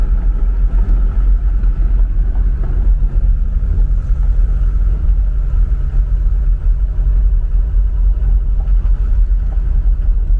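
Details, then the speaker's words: Mercedes 240D diesel driving from standstill after fuel injector repair and valve lash adjustment, previously clanking and smoking: deep even rumble under way, no clanking or knocking and no smoke; normal running. "now yeah this sounds really really nice now there's no clanking whatsoever there's not not not any smoke coming out"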